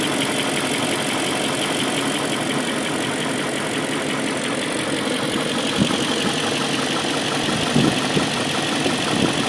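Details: BMW M62B44TU V8 with stock exhaust, chain tensioner (BMW 11317531813) replaced with an aftermarket INA part; idling with a fast, light metallic chatter, a rattle at idle suspected to be a loose timing chain, not confirmed.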